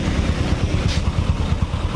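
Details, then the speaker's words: Honda Supra X 125 after engine rebuild, post full-throttle ride; quick even single-cylinder pulses with loose buzzing clatter from loose fender, body covers possibly shaking; engine fine, body panel rattle. "dan di bagian sini nih berisik nih nih Tetep Tokyo berisik di bagian spakbor karena spakbornya di ketika tuh Wow kepala juga pada kendor"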